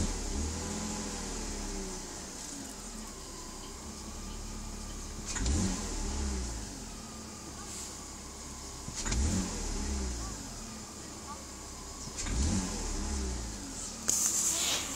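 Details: BMW E46 320i M54 petrol engine idling evenly; each quick throttle blip from idle starts with a dull clunk from the engine bay, owner suspects idle control valve (ICV), unconfirmed. Clunk when accelerating from idle.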